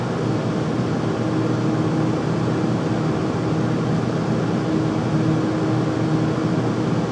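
Loud constant rushing roar with a faint steady hum underneath; the furnace runs noisily but the cause can't be pinned down.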